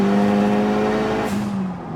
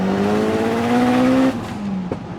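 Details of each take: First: Talon at 530 hp on the same clutch and flywheel used at 350 hp: under full throttle the engine holds a high flat note then sags without pulling; clutch slipping under load. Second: Engine of a Talon making about 530 hp on the old clutch and flywheel (fine for 350 hp) pulls cleanly in second gear under lighter load, pitch climbing steadily with no rev flare; clutch grips here though it slips in higher gears.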